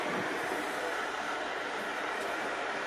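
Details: Burko safety water boiler after a detached part at the bottom was put back in place: steady, even hiss and rush of water warming, no clicks or buzzing; heating normally.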